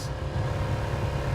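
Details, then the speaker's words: Car idling after new stiff motor mounts: deep steady low drone with a slow throb passed into the body, present at every stop. The ECU is being sent for a tune to fix it. "I was screaming at my phone because I wouldn't stop playing music because I cannot stand this sound"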